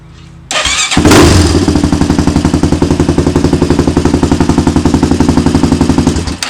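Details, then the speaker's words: Rebuilt 400EX single-cylinder quad restarting on its own battery, which was suspected weak but now seems charged. Short crank, catches first try, then a steady even thump of about four beats a second; the exhaust is louder than before; healthy start. "I don't think it's at 450 status yet, but it's pretty loud. Definitely louder than what it was."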